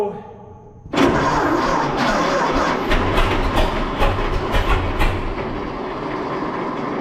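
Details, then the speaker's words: 1926 Seagrave city service ladder truck, 1013 cu in "F" six-cylinder, first start in 10+ years after long sitting, fuel fed to carburetor; catches and runs in ragged uneven bursts, struggling to settle, flooding on too much gas; owner also suspects a valve stuck open. "i think we got too much gas so i'm gonna i'm gonna stem the tide of fuel here"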